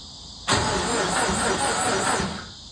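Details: 420A engine cranking with no spark: the starter turns it at an even rhythm for about two seconds but it never fires. Crank no-start.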